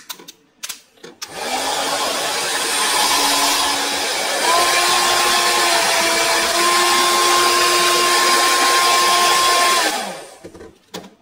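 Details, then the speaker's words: Older hair dryer after repair: hair removed from around the fan and motor oiled, switched on it spools up to a steady airy whir with even motor tone, then winds down; runs smoothly, sound noticeably different from before. "Okay, so now it's all put back together, and you'll notice that the sound of the hair dryer when I turn it on is different."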